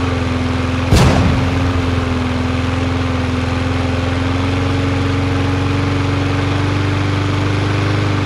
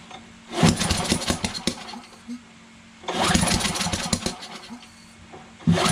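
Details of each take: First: Yard Machines MTD 21-inch push mower with Briggs 550EX auto-choke engine, after bending the bar to raise speed: after a sharp pop, a steady even hum at constant pitch with no hunting; about the right rpm. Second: Yard Machines MTD 21-inch push mower, Briggs 550EX auto choke, with brake cleaner sprayed in, on choke: two pull attempts sputter and die without starting; spark present but timing seems off, sheared flywheel key suspected.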